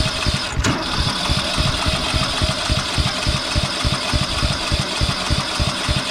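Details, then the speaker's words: Briggs & Stratton ride-on mower engine on starting spray: uneven chugging about three pulses a second, struggling to catch and keep running; owner suspects the carburetor needs cleaning. "okay every bit of spray the cab is probably gonna have to be clean here but we're gonna try so yeah it's a job for tomorrow clean the carbine"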